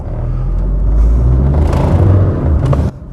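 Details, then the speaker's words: Mid-1990s Rover 400 Tourer after a year parked, in second gear with light throttle: engine note swells while the low drone shows no real pull, a slipping clutch, the reason it was parked before the clutch replacement. "That's why I parked it. The clutch is [ __ ] But as you can hear from the rest of the car, it's a sin for it to rot."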